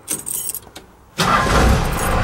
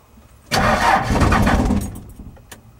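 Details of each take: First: 4BT Cummins with an intermittent starting problem: the engine catches instantly and settles into a steady, even run; normal quick start this time, though the owner is still considering a lift pump and injectors. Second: 4BT Cummins diesel, not started for a couple of days: short crank, pause, then long crank about two and a half beats a second that never catches; owner suspects dribbling injectors, unconfirmed.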